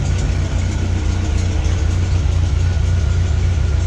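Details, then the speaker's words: MGB four-cylinder after a new gauge install, idling while waiting on the water temp gauge: an even, steady low putter with no knocks, misses or surging; normal idle (the owner later suspects a bad temp sensor). "And we'll see what happens with the temp gauge. So, but sounds like it's running okay."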